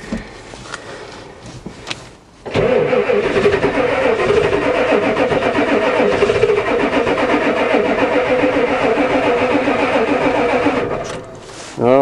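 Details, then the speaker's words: Ford diesel truck, glow plug controller showing wait-to-start but owner unsure it clicks as it should: long steady cranking about three to four beats a second, brief catch, no start; cause suspected, not confirmed. "try again the old one used to do lots of clickings it actually fired a little here we go again try again"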